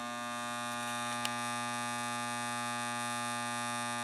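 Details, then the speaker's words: Gottlieb 1974 Big Shot pinball machine: steady loud buzz of fixed pitch from a coil whose armature bar isn't lying flat against the magnet and vibrates; rotating or adjusting it quiets it. "So the first thing I'm going to check is this humming, buzzing coil here. not the actual coil. It's this bar vibrating."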